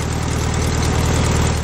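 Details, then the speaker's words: VW Beetle air-cooled flat-four in a motorcycle build, at idle after restart: slightly uneven, lumpy beat hinting at an occasional misfire; the owner suspects the distributor cap, missing a clip and bouncing around, caused cylinders to misfire. "I restarted it and it sounded much better I noticed the distributor cap was missing a clip the cap was bouncing around a lot and that could have also made the other cylinders misfire"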